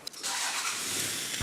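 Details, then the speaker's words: Toyota V6 with one bank turbocharged, on factory ECU, after plugging the crank angle sensor back in: brief crank then it catches and holds a rough, noisy idle; starts and runs, though not sounding happy. "Yes, it runs! It works. I mean, it doesn't sound that happy, but it works."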